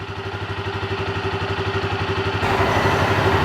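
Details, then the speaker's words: Yamaha Grizzly 300 ATV after a no-start/won't-stay-running fuel delivery fix with part 1SCF4500-10 and an aftermarket Chinese carburetor: a steady single-cylinder putter of about four beats a second, even and smooth, with a slight blip near the end. "oh yeah it's got good idle good wide open throttle that little chinese aftermarket carburetor works pretty good"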